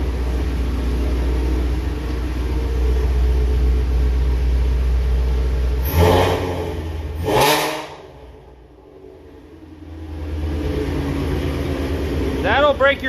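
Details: 2019 Ford Mustang Shelby GT350, 3800 miles, new Whipple 3.0 supercharger and catless long-tube headers, warm: deep, loud, steady even idle with small blips through open catless exhaust; engine running smoothly, normal idle.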